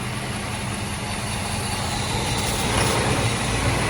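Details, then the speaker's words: 1989 Mercedes-Benz 560SEC (C126), runs only on starter fluid sprayed into the air intake, no fuel reaching the front, stalls; low, ragged uneven idle, sounds fuel-starved; owner suspects fuel pump or relay failure, not confirmed. "the car runs once you spray with starter fluid it doesn't run strong but it runs i mean it runs for a while before it decides to die until i spray it with more of this"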